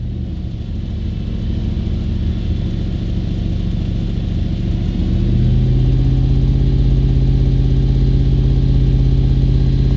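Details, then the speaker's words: Audi B7 RS4 after fitting a new sensor and clearing the EPC/CEL/TC codes: deep, steady idle that lifts slightly and holds smooth with no whine or rattle, the earlier pump or seal noise gone; normal idle. "So unfortunately, folks, this is what we have right now. See, that sound is gone."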